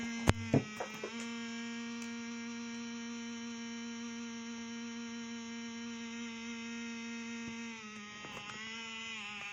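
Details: Used Lenovo ThinkPad T450, fine for a month, now randomly makes a loud steady electrical buzz whose pitch drops partway; cause unknown, owner wonders if fan noise or coil whine.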